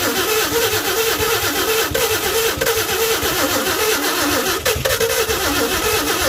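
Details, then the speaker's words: 1952 Chevy with new Autolite plugs, carburetor filter off, gas poured down the carburetor: fast, even starter churning repeats without a single cylinder catching. It cranks but won't start; the owner suspects low compression from seized rings and a weak fuel pump. "i think i probably have low compression from the rings being seized up a little bit if i can get this thing running and get it hot i think them rings will come right back around"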